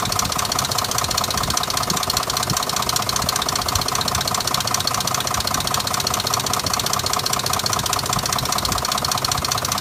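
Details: 2005 Dodge Durango petrol engine idling with a steady knock, about two to three beats a second, over a hissy running sound; codes P0343 and P0172; cam sensor, O2 sensor, transmission and exhaust manifold just replaced; cause unknown.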